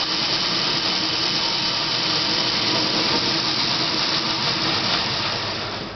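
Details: Dodge Daytona electric conversion with a NetGain WarP 9 motor, on jack stands, run about 500–1000 rpm in neutral with and without clutch, then first gear: harsh gritty grinding with a raspy rattle throughout. Source unclear, possibly the motor bearings.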